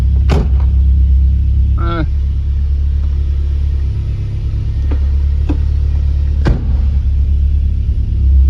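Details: 1993 Lancia Delta HF Integrale after fuel pump replacement fixed a no-start: steady low rumble with an even unbroken beat, no stumbles or knocks; smooth healthy idle.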